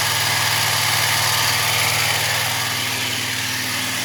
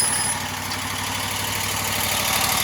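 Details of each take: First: Wright Stander ZK mower after hydro pulley replacement: steady, even engine note with a constant high-pitched whir from the deck, no knocks or squeals; runs smoothly though some whirring remains. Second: Wright Stander ZK mower running after hydro pulley replacement: smooth, but a steady, even-pitched whirring with no knocks remains on the drive side; source not yet found.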